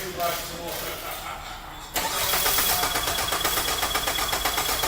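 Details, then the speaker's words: 2003 Nissan Altima, battery on charger after being dead, cranking during a volt drop test, battery positive to starter positive; brisk even cranking about four beats a second, no slowing or clicking; 160 mV, within range (over 500 excessive). "And then you do the same for the starter, positive to positive. Go ahead and crank it, Rob."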